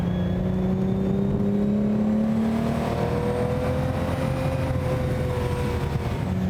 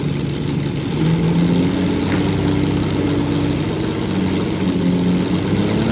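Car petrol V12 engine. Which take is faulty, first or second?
second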